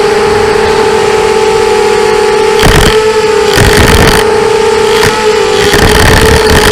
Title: bad bearings 250